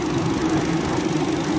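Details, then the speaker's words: Car radiator cooling fan motor after replacing the faulty, badly wobbling old one: steady even mid-pitched hum with no wobble, rattle or pulsing; fan now runs smoothly, normal operation. "nah bosku terlihat ya ini sudah diganti dan hasilnya sudah nggak goyang lagi nih sangat halus getarannya ya kayak yang tadi ya yang tadi sangat parah"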